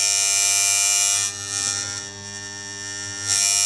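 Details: Steady harsh buzz from the Dealer relay coil on a Williams Full House electromechanical pinball; replacing the overheated old coil didn't help, and the owner suspects the coil isn't releasing cleanly and may need a thin spacer.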